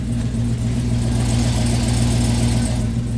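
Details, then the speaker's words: 2007 Chevy Avalanche V8 with DOD/AFM delete, performance cam and headers, on a chilly cold start: deep, loud, even exhaust note with a choppy lope and strong low rumble, no mechanical clatter; normal revving. "but yeah sounds real happy i like it you can definitely hear the headers"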